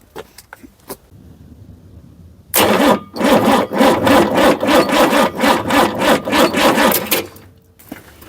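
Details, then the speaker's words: International DT360 diesel, planned swap into 1973 Ford F250, intake block ready for runaway: starter cranks in even pulses about three a second but never catches; dead or too-weak batteries. "It's probably going to need a lot of cranking, but we'll give it a whirl. I don't have enough battery power. All my batteries are messed."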